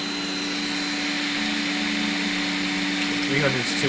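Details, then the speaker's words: Piocreat G5 pellet-extruder 3D printer with larger nozzle, extruder feed raised to 300: steady strained hum with gritty grinding and faint stuttering; extruder stepper overloaded, turned back down. "let's go to 300 W okay okay oh it's really grinding it's too much for it too much turn it back down here"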